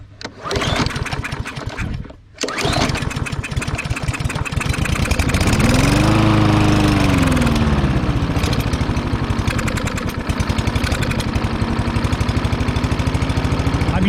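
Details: Lawn mower with a slightly dirty air filter, running after starting fluid. The single-cylinder engine is ragged, with pitch swelling and sagging, lean and surging. It keeps running only when choked, so a partially clogged carburetor is suspected.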